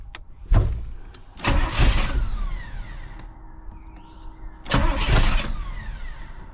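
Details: 1985 Pontiac Trans Am sat about a year, fuel pump apparently running only off oil pressure switch, prime wire not working: starter grinds in long loud bursts, engine almost catching but never running; fuel level uncertain.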